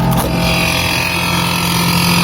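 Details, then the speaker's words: Brastemp BRE57AB Inverter Frost Free duplex 443 L refrigerator: a loud, constant rough buzzing drone as the evaporator fan blade scrapes built-up ice. The fan was close to jamming and burning out. "ela chegou num ponto que ela já tava querendo travar ela ela ia começar a travar agora e simplesmente trancar esse ventilador e acabava queimando Com certeza"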